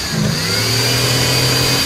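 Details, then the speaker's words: Old red Ford revived after sitting, fresh gas, cold start, fires right up, has oil pressure: engine catches and revs cleanly, pitch rising smoothly without stumbles or knocks; normal revving. "A 6.2 diesel being boosted won't start a daily driver, and this piece of wood just fires right up."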